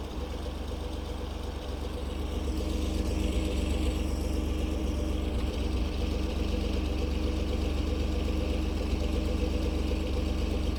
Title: 2012 F-150 EcoBoost cold start rough idle